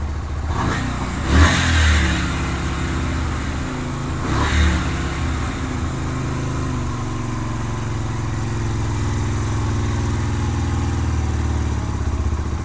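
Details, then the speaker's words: 2007 Yamaha Virago 250 after electrical repairs, air filter box off, tank loosely fitted: two throttle blips, then revs sink slowly and hang high. Hanging idle; owner plans to adjust the air-fuel mixture screw. "Sounds like the idle's hanging a little bit. I'm gonna have to adjust the air fuel mixture screw."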